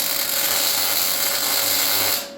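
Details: MIG tack-welding V8 side mounts to the frame after turning the new welder down: even, crisp bacon-frying crackle for about two seconds, steady arc; a good weld.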